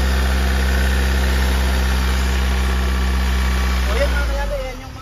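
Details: 2013 Hyundai Starex at idle after valve lifter replacement: the noise on first start came from the tensioner not yet filled with oil; once oil pressure came up the noise was gone, leaving an even idle thrum with no lifter tick.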